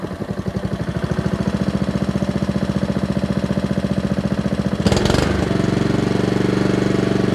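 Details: Honda HRR216 mower out of winter storage, auto-choke set to fast: even, regular putter at about three pulses a second, then a short throttle change and a smooth steady hum. Normal running.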